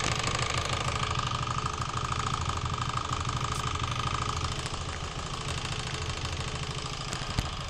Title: стук в двигателе